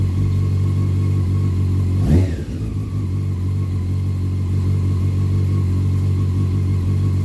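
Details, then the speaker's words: 2001 Honda CBR600 F4i after a valve adjustment and reassembly; it started once the headlight was connected so the fuel pump primed: a steady, even idle with one quick throttle blip dropping cleanly back, smoking slightly out the back. "okay well there was a pretty decent chance it wasn't gonna start at all so thank you to those who uh tipped me off online you gotta have the headlight installed for it to for the fuel pump to prime to be able to start it"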